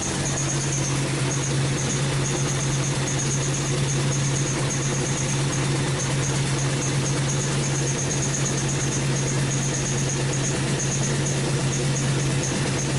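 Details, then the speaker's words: 2005 Chrysler 300C 5.7L Hemi after rebuild, running and quieter: high thin chirping squeak coming and going over smooth V8 idle from the right-hand exhaust; owner suspects a bolt there, unconfirmed. "all right so the squeaking you hear that's the exhaust on the right hand side i think it might be like a boat or something that's uh causing it to squeak because i went right next to the exhaust and that's what that is"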